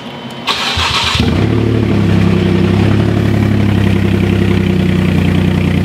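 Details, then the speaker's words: Rebuilt wrecked Porsche Cayman with a cracked subframe, started with the key in neutral: brief starter whir, then it fires and settles into a loud, deep, even idle with no knocks or misfires; running normally. "we started, it's running, it sounds super loud, which is what we want, and it's spinning."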